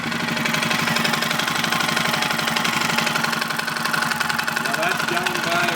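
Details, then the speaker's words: 2005 Suzuki King Quad 700, warm, with the microphone moved around the motor: a light, uneven tapping knock over a single-cylinder idle. It is worse on the clutch side and gets worse with revs, and the exhaust shows blue smoke; the owner is unsure whether it is top end or bottom end. "the knockin I kind of moved the microphone around a little bit to see if you could tell where it was coming from on the motor whether it's top end or lower end seems to be a worse on the clutch side that you can hear it but it means you know as you rev it it gets worse also"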